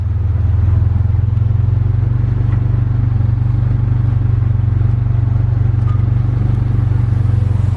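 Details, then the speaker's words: Stock 2000 Honda Civic, stock fuel system, on E85 it isn't built for, AFR having maxed at 18; runs uneven and lumpy at low revs, a deep drone with irregular stumble. Lean running. "it barely wants to rev it's really low on power right now yeah it's not uh it's not running very good"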